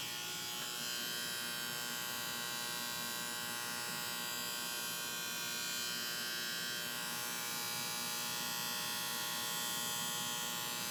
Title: AC Condenser Unit With a Bad Starter Capacitor